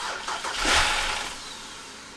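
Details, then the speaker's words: BMW E60 (Copart car), first start on replacement eBay ECU, no coolant, on jump pack: brief crank, catches with short rising burst, fades within a second instead of idling; MAF and cam sensors checked, owner suspects bad fuel. "Starts, but it keeps starting to die. Make sure I got that mass airflow is plugged in. Cam sensors are all plugged in. I don't know why it's dying, but I mean, it's hard telling what kind of gas is in it."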